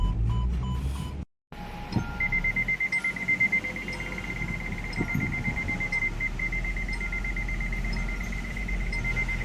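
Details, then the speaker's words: MG Hector petrol automatic, 2020–2021, engine running: steady rapid chime of about 2 kHz tones. First and second gears engage but reverse will not. Open circuit in the transmission control module power supply. "तो ये हमारा reverse gear नहीं आ रहा है। बाकी first second gear आ गया है लेकिन रिवर्स नहीं आ रहा है।"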